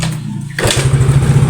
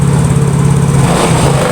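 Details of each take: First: Yamaha Mio GT scooter, complaint of hard starting and dying on throttle: weak labored starter whir, then catches and idles unevenly with a low lumpy beat before dying; hard starting. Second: Yamaha Mio GT scooter, complaint of hard starting and dying on throttle, after battery check/charge: steady even idle with no surging, whereas before idle rose and fell; battery may be weak.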